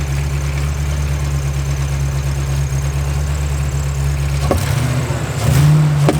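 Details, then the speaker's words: Fox body V8 idling high, running a bit rich with a check engine light: deep steady idle broken by sharp random pops from a misfire, popping in both exhaust and intake. "Definitely getting a misfire. You can just tell. It'll randomly pop."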